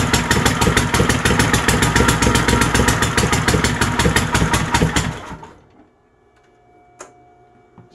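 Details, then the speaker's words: Troy-Bilt GTX 20 with new lapped valves and gaskets, gas fed directly into carburetor: loud, raw, fast-firing open-pipe rattle for five seconds then dies; only runs on choke, cause suspected not confirmed, carburetor kit on the way, baffles gone. "you guys get the drift it runs the muffler basically isn't one's as straight pipes"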